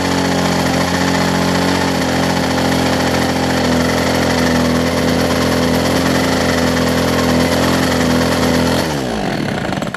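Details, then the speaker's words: Older Homelite two-stroke hedge trimmer with new fuel lines and primer bulb, carb low/high-speed mixture still being set by trial: high steady buzz holds about nine seconds, then drops away and dies. "open it up just a smidge yeah I am no professional on tuning to cycle carburetors I'm just seeing what works"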